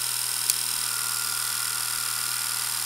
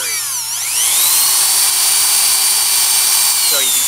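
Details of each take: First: Delco CS alternator (built-in regulator, 14.5–15V, 75–105A) bench-driven by 120V induction motor, wired to old battery: steady hum with high whine, no grinding; switched on it charges normally, battery reads 14.5 volts. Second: Delco CS alternator bench-driven by 120V induction motor, charging a weak battery: with a 100 watt bulb load switched on, the whine dips and slowly climbs back; drive motor struggles to regain speed under alternator load.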